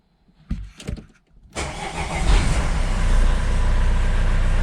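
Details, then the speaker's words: Vauxhall Vivaro diesel van after EGR valve cleaned and deleted, first start: a few clicks, fires first time and settles into steady, even diesel clatter at idle; runs normally. "it starts. I think I just need to take it for a quick drive."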